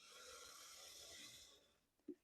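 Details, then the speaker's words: Bachmann BQ23-7 model diesel locomotive after cracked gears were replaced with 3D-printed gears, run at healthy power: steady airy high whir from motor and gear drive, no clicking; smooth gear drive running without clicking. "And as you can probably hear, the clicking is gone. And I think that was a successful repair, but I've still got a little more to talk about."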